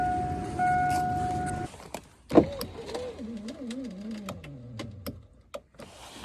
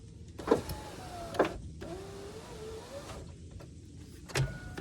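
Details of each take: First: 2002 GMC Sierra Z71 SLT driver's door: power window motor whirs steadily under two seconds with no glass movement, glass loose; broken window regulator. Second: 2002 GMC Sierra Z71 SLT driver's window after replacing the regulator with Dorman 740-644. Clicks, then a smooth motor whir of about a second each way, maybe slow. Owner suspects a weakening motor or a track needing grease, but it works.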